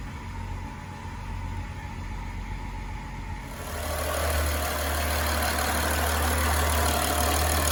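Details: 2011 BMW X5 E70 with N55, 109,000 miles, after replacing the cylinder 6 fuel injector with a Bosch unit for a P0306 misfire and surging warm idle: fires and settles into a smooth, even idle without stumble or hunting.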